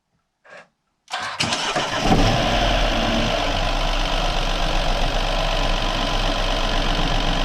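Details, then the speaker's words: BMW N13 (F20/F30) first start after replacing the rattling oil pump chain: quick crank, firm catch, then smooth even idle with only normal light injector ticking and no chain rattle from below. "this is just a normal injectors looking and absolutely no rattles coming from down here which means i'm a very happy fellow"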